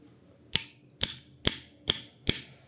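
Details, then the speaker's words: Yamaha X-Max 250 engine opened up: five sharp metallic clacks as the connecting rod is rocked by hand, with play side to side and up and down. The big-end is worn, rod fragments are in the crankcase, and the piston has seized. "Kollodoku, shohim bjellën, shoh në distancat majtas djathtas, edhe poshtë lart bjella e ikur."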